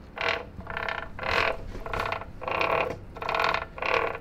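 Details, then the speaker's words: 1985 Honda ATC 70 with swapped Piranha 140cc 4-speed semi-automatic engine, restored: rhythmic creaking ratchet bursts about 1.5 per second as the chain turns; the chain tensioner binds, noise stops when tensioner loosened. "once i take the tensioner loose it doesn't make the noise anymore so it is the indeed the tensioner"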